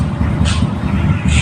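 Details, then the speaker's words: Honda Bravo motorcycle after a flood, idling after repair (timing chain tensioner rollers suspected worn and replaced): low, steady putter, engine now quiet with no chain rattle or ticking. "okay na tahimik na makina niya"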